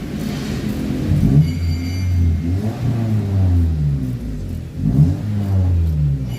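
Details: 2002 Honda Civic turns over in slow, swelling starter pulses but never catches and runs; cranks but won't start, with no trouble codes stored.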